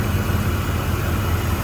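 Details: 1993 GMC Sonoma (S15) V6, idling with timing just set on a replacement distributor: even, low rumble with a steady beat, no misses or knocks; idling smoothly.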